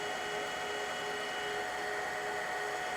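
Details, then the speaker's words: Manual lathe grooving a threaded shaft with a hand-ground tool under coolant, about 0.075 in deep: steady, even hiss with a few faint fixed tones, no chatter or squeal; it is cutting cleanly. "okay 75 thousandths actually it's cutting really nicely"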